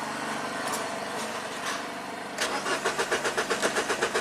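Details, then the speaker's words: Mini Cooper crank no-start with no fault codes, battery charger holding 13.5 V: steady starter cranking about four turns a second with no firing, cough or sputter, then the starter shuts off on its own; ignition coils getting no power. "Not even coughing. No sputter. And then the starter shuts off on its own."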